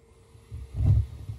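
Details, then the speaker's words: Gas boiler made November 2008, no heat because the standing pilot light had gone out; after relighting, the damper cycles and the gas valve clicks, then a soft low whoomp settles into a gentle rumble. Normal burner ignition. "and just like that Houston we have ignition"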